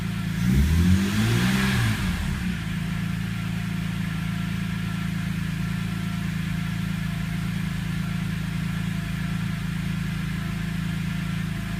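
Brief rev then settles to an idle with an irregular pulse, about three beats a second, slightly shaky; rough cold-start idle.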